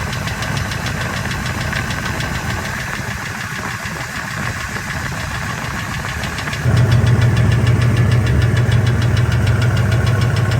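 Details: 1999 Ford F250 V10 idling in park; light, steady tick about three a second that fades and returns over a smooth idle. Intermittent from 600 to 1800 rpm, loudest near the flex plate, gone above 1800. Injectors and coils replaced, EGR deleted; cause unknown.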